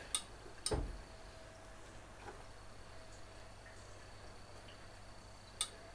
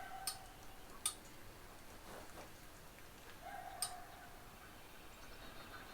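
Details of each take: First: 1969 Mustang that sat 15 years, engine warm during cooling system work: a few sharp isolated clicks seconds apart as the fan temperature switch snaps over normally; probe fine, fault suspected between control wire and relay. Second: 1969 Mustang after fitting electric radiator fan with relay kit and adjustable thermostat switch set just below 200°F: sharp single clicks a second or so apart as the fan relay switches in and out while engine cools; fan and relay work, control-wire fault suspected.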